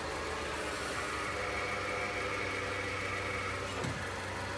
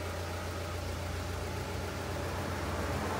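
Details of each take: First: Nissan NP300 pickup at idle: pressing the clutch pedal brings a thin, high whine over the engine that fades when the pedal is released, from a worn clutch release (throw-out) bearing. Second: Nissan NP300 pickup at idle, after replacing clutch pressure plate, disc and release bearing: pedal pressed, steady even idle with no whir, chirp or grinding; pedal now smooth, release bearing quiet and normal.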